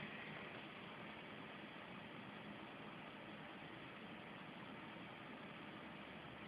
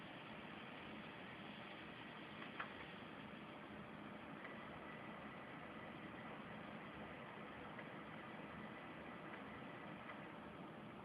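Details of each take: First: PC with a 7900 GS graphics card and 3 GB memory powers on: a quiet, steady fan whoosh with no POST beep codes and no boot; the fault is intermittent and random, and a power supply swap is being tried. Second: Desktop PC with a 7900 GS graphics card and 3 GB memory that boots randomly: steady fan hiss, then one short high POST beep as it finally boots; power supply swap planned.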